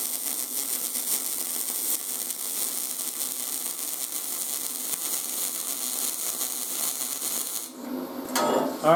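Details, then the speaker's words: YesWelder 250 MIG Pro welding steel at inductance +6, expected to give a more fluid puddle with more penetration: steady, even frying crackle with no pops or sputter, then it cuts off; a smooth, well-tuned weld. "let's do inductance of six this should sound different and it should create a more fluid weld puddle"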